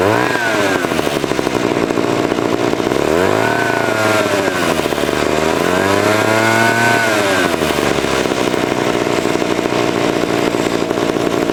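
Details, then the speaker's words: 1970s ARCO 3533 mini bike, first ride after a budget get-it-running fix: the raw, unmuffled two-stroke screams high and swings with the throttle, yet the bike barely pulls, about 5 mph at 10,000 rpm. "on top of that you're doing five mile an hour at 10 000 rpm a"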